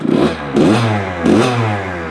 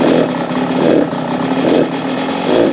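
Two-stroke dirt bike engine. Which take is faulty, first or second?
second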